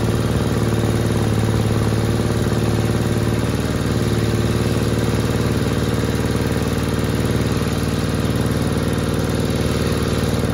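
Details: 1960 Onan industrial engine for a homemade Model T replica truck, first start in many years: steady low chug with an even beat and no knocks or misses, running smoothly after the fuel pump butterfly valve position was changed.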